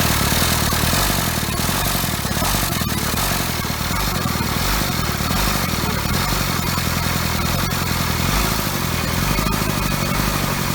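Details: Toyota 3B 3.4 L naturally aspirated diesel from a 1981 BJ60 Land Cruiser, first start after sitting six or seven years, air bubbles still in the fuel; it catches and holds a steady, slightly rough clattering idle with no misses. Normal running.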